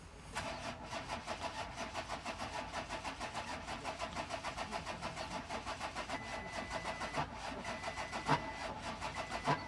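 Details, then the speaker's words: 2014 VW Touareg V6 TDI with a P0087 low fuel pressure code after the fuel ran very low and it ran as if on five cylinders. Cranking with injectors 1 and 2 disconnected gives an uneven, labouring beat with heavy knocks. Hydrolock noise persists. "No, still got that hydrolock noise."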